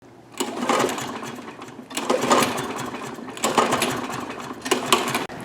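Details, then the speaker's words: Toro Recycler lawnmower with a Kohler engine, recently acquired: four raspy pull-start cranks about a second apart and the engine never catches. Hard starting, blamed on a dirty carburetor that then gets cleaned. "as you saw in the intro just very hard to start we picked this guy up the other day usually it's just the carburetor on these guys"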